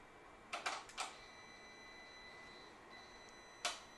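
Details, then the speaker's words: Volkswagen/Audi throttle body adaptation run through a Topdon Phoenix Smart guided function after an ignition off/on cycle: a few sharp clicks in two clusters with a faint motor whine as the throttle body moves under the hood. Normal adaptation noise. "so if we listen real careful we can actually hear the adaptation taking place the throttle body actually moves so you will hear some noises happening under your hood clicking clacking things of that nature that's totally normal"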